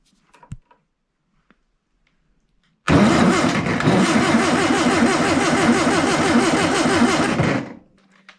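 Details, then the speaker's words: Long-stored air-cooled VW engine after rough points adjustment: starter spins it at a steady chug nearly four beats a second for several seconds, never catches; only one spark seen, contacts not clean, pretty corroded. "Nope, not yet. I saw one spark. How are those contacts? They're not clean actually."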